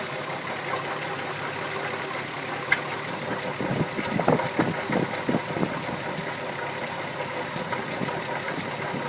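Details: VW MK4 12v VR6 petrol engine idling steadily with uneven knocks breaking through, loudest midway; owner unsure of cause.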